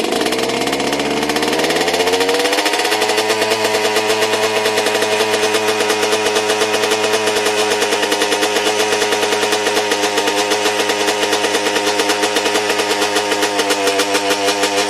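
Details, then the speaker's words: Oil-logged/flooded two-stroke held at full throttle to burn out the oil: revs climb, then hold at a fast, even buzz. This is the sound of the engine clearing out. "Just give it the beans. Now if it sounds like that, that's how you know she's cleared out."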